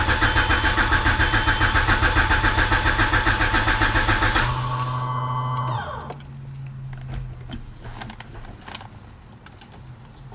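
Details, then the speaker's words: Honda CRX with new aftermarket fuel tank and Walbro 255 fuel pump: starter cranks evenly at about three and a half beats a second for four seconds, never fires, then spins down; crank no start from reversed pump wiring. "okay so it is some time later and despite all that cranking that we were doing and the fuel pump running the car still would not start"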